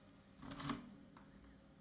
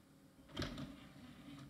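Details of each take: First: Salvaged scrapyard IDE optical drive set as master, ejecting after the system powers up: short whirring motor bursts and clicks as the tray strains, pauses, then finally frees, a sticking eject mechanism, probably from not being opened for a long time. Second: Scrapyard IDE optical drive, jumpered to master, tray operating: a brief, quiet slide ending in one soft clunk, with no grinding; the mechanism is very silent and smooth, and the drive then reads CD-ROMs fine.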